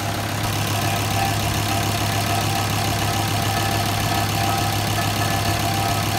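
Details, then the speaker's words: Kubota M125X tractor stranded after about 8 hours of running, fuel gauge also faulty: steady diesel idle with a loud, constant, uneven rough knocking and rattling; abnormal idle noise of unknown source. "Right now, while it's idling after 8 hours, it's still making that nasty sound."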